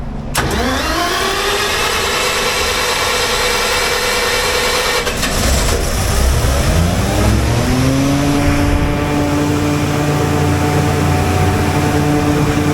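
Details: Standby generator, manual start at 27.9 V starting voltage. It catches cleanly, revs up and runs steady and smooth; healthy.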